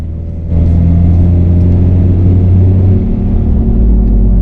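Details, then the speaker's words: 1999 Honda CR-V on a road test at speed: steady low droning growl on a straight run, louder weaving left and quieter weaving right. Worn right rear wheel bearing. "there i can hear the growl and when i weave to the right the noise goes away so when we get to speed with the bearing and i weaved to the left we noticed that the noise got louder when i weaved to the right the noise got quieter"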